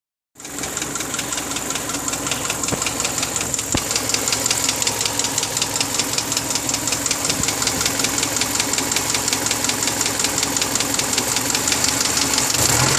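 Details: 2002 Subaru Forester, 333,000 km, meticulously maintained: a steady, sharp ticking knock at about 160 per minute over the idle. The owner asks whether it is piston slap, unconfirmed.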